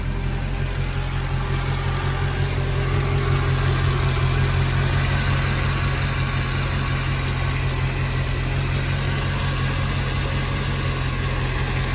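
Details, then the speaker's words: Mercedes ML55 AMG V8 after oil catch can install: smooth, even idle with soft airy hiss; vacuum leak from dipstick not seated, worn O-ring, sounds better once pushed down. "oh, that's why my dipstick is out a little bit. I need to get a new O-ring for this thing. It's just not staying down very well anymore."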